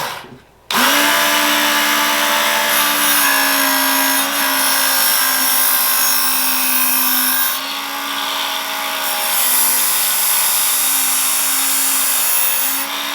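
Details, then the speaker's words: Old Work Sharp original knife sharpener, coarse grit belt, sharpening a meat cleaver: steady high motor whine with belt hiss, pitch dipping and wavering under load; owner says the motor is dying. "it's dying i think i'm gonna buy one of the newer ones um the ken onion version or something i don't know i'm gonna look but this one still works it's just you'll hear it in a minute"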